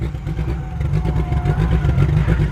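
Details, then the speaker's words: Car at a drift event that suddenly lost all power: deep, lumpy, uneven V8 throb with no crispness or pull; all spark plugs found covered in deposits from far too much fuel, cause unknown; misfire from fouled plugs. "And it's not supposed to be making that sound. So I'm taking her back because that's about all I can do. Well, idea one was we're incorrect. All the spark plugs are just covered in shit."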